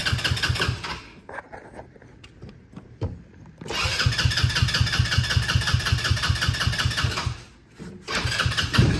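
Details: Hammerhead R-150 side-by-side (GY6 150cc) after replacing carburetor that would not stay running with new 24mm manual-choke carb: cranks in short bursts, then fires and runs with a steady putter around two and a half beats a second; normal start and idle.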